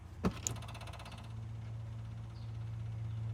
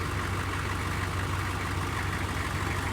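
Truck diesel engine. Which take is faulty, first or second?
first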